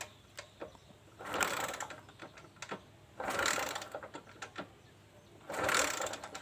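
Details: Kawasaki Kaze motorcycle that has lost ignition: three kick-over bursts about two seconds apart, with no firing. The coil wire (black with red stripe) sparks, so the coil is normal and the CDI is suspected dead, then replaced.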